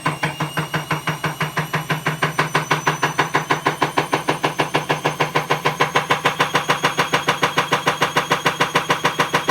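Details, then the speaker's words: Bosch Avantixx 6 WAE24366GB washing machine, drum spinning up, nowhere near full speed: heavy rhythmic banging about three times a second, loud, speeding up with the drum; broken drum spider (machine also trips the circuit breaker, element suspected). "but if you hear that clicking that's the broken spider it's pretty loud there's nowhere near full speed yet so"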